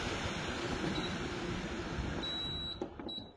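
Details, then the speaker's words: Sharp 100V tower air purifier in accelerated filtering mode, fan at maximum for about 15 minutes: a strong, steady airy whoosh with no rattle or rubbing. It runs healthy at full power. "Nó sẽ chạy ở mức quạt tối đa. Các bạn nghe tiếng quạt này, nó chạy rất mạnh luôn nhá, chạy hết công suất đấy."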